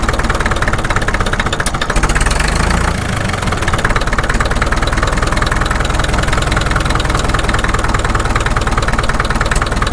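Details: Caterpillar D2 (#5J1113) diesel at slow low idle on first start after full pony motor and diesel rebuilds, 30 psi oil pressure: steady even low beat, no misses or knocks, apparently firing on all four cylinders, running smooth.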